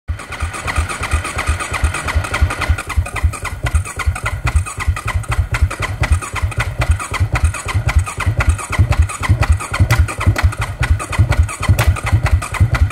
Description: 2009 KTM 690 duke having a hard time starting. This is in the afternoon after sitting in the sun.